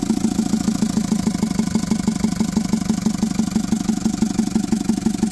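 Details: Kia diesel engine at idle with an uneven, lumpy beat of about three pulses a second: a diesel engine misfire at idle.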